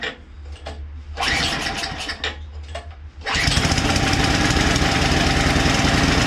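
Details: Craftsman two-stage snowblower small engine, not started for two years with fuel left in it: sputters unevenly on choke, clears, then stalls; after fresh gas is added it fires right up into a steady buzzing run.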